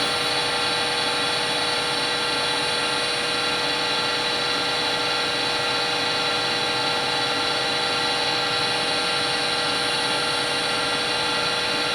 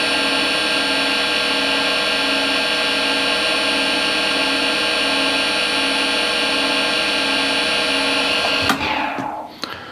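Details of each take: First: Harvey lathe after spindle bearing replacement, about 1600 rpm: smooth steady whir, no knocking or grinding; noise reading about 57 average versus roughly 64 recalled from before; bearings run quietly. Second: Harvey wood lathe at about 1600-1640 RPM, before changing spindle bearings, measured around 64-65: constant high whine with several steady ringing tones fading on shutdown; spindle noise, bearings suspected.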